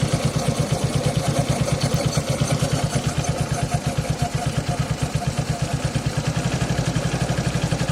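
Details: Suzuki Access 125 scooter, first cold start of the day: quick, steady clatter on every engine beat at idle; also noisy at 30–40 km/h; mechanic says timing chain, owner doubts it; source unclear.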